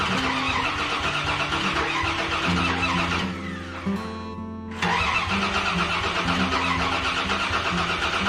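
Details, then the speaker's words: Dodge Dakota after tune-up with new plugs, plug wires, distributor cap and rotor: starter cranks steadily with only the odd weak catch; no start because the plug wires were misrouted after misreading the wiring diagram. "we still got nothing so you can hear here and there they catch something all right attempt number three um that wiring diagram the way it was laid out was kind of misleading"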